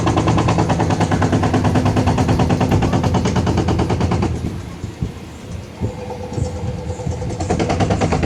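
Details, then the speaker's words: Washing machine during spin, loud rapid tractor-like knocking and heavy vibration. The cause is the drum suspension rods (two front, two back) losing spring tension. "பார்த்தீங்களா, இந்தமாரி sound வந்துச்சுனாக்கா அந்த பின்னாடி 2 கம்பி மாதிரி சொன்னேன் இல்லையா? So அது பேர் வந்து சஸ்பென்ஷன் ராடுன்னு சொல்லுவாங்க."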